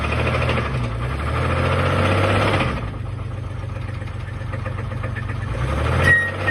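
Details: 1983 GMC S15 Jimmy with 2.8L V6, not run in 15+ years, valve cover left off long, timing too far advanced, driving and labouring: heavy rhythmic knocking about four times a second under the drone, getting rougher; engine declared done.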